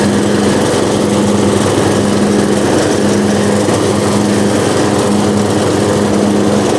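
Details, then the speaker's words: Riding lawnmower left outside all winter, battery stored indoors, unsure if it had fuel: after starting it settles into a steady, even single-cylinder drone with no misses or surging. Normal running. "wow i can't complain about that fellas that thing started up after sitting all winter"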